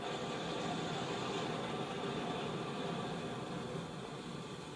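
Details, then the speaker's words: 1917 Blackstone 9 hp hot-bulb vaporizing oil engine run on household heating oil, before a hand start: a steady hissing roar with no change in pitch as a modern gas blowlamp burns evenly, heating the bulb vaporizer. Normal blowlamp operation. "the noise you can hear is the blow La heating the B vaporizer and Readiness to start the engine"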